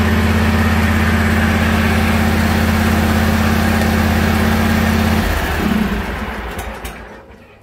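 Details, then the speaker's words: John Deere lawn tractor after replacing a plug-in part in the cab that made it die once hot: runs steady and even for about five seconds, then is switched off and winds down. Runs normally. "So what I'll do here is just start it up to show you that it runs with the new part. It did run with the old part, guys, but as it got hot, it would die on me."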